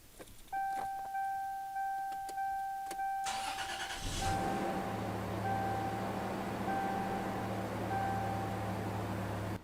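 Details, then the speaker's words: Car that would not start, after fitting a new battery and new cables: a steady chime, then a brief crank, a quick catch and a smooth, even idle that settles at once; healthy start. "that sounds good i'm so excited that this thing actually works"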